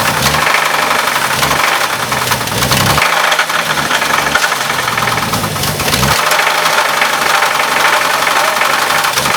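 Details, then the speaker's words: Heavy, regular knock at low speed that sharpens when revved, right after timing was set, with vacuum lines loose; connecting-rod bearing knock on the same reused crank despite the UTG donated parts. "You gotta push hard. That's the rod. What do you think? It's rod. It's the same crank."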